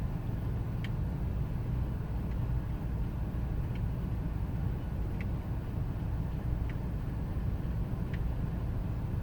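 Low V8 idle with an uneven, lumpy beat and faint ticks about every second and a half; idling rough, cause not obvious.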